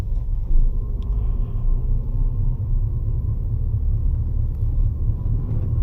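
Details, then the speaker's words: 10-year-old 2014 Ford Fiesta Ambiente 1.4 Duratec cruising on worn old tyres before switching to Radar Dimax Sprint; steady low roar under the cabin, no tick or knock. Tyre road noise roar; balancing was initially suspected. "Do you hear that roll? That's That's part of the reason why I actually wanted to change my tires."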